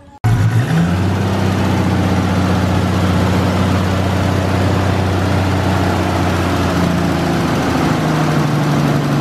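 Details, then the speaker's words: Freshly rebuilt Nissan RB engine in R33 Skyline, running in at about 2000 rpm before warm-up, small vacuum leak fixed with vacuum line; steady even note, no misses, knocks or hiss, idles by itself; normal fast idle. "and once it's warmed up we can set the C properly but sounding healthy we need a Rel bloody mint runs smooth there runs by itself idles by itself had a small vacuum leak but we fixed it up with the vacuum line there"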